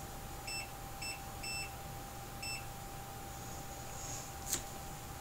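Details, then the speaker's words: iPhone 7 with error 4013: the multimeter in continuity mode gives short, sharp beeps as the probes touch, showing LDO9 and LDO3 shorted to ground (about 0.003 in diode mode). Removing the WTR4905 later cleared the LDO9 short. "put it in continuity mode so you can hear L do nine and L do three are short"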